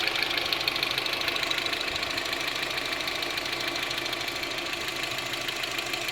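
A light, regular tick of about three per second sits over a steady idle; the cause is not clear from sound alone.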